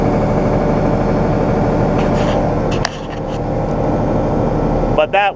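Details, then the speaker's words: A second tractor starting as a tractor should, heard for comparison with a John Deere 6115M that will not start; the owner suspects the 6115M's starter solenoid. Steady, even diesel rumble with no stumbling, normal diesel start. "one that's the way a tractor is supposed to"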